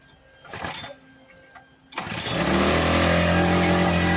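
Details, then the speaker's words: Victa lawn mower: after some clatter it fires and holds one steady high flat-out drone, throttle has no effect; stuck at full revs, something inside suspected of holding it there. "as you can probably hear it's running but no matter what I do with a troll it doesn't adjust anything so there must be something in there which is just having It On full Rev"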